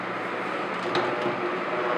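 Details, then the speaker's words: Honeywell HCM-6009 humidifier at its slowest fan speed, plastic housing pieces fitted but not yet screwed down: steady fan whoosh with a faint constant hum-buzz as the loose panels amplify motor vibration. "is and now you can hear the vibration that's amplified by the plastic but once screwed it should be quite better"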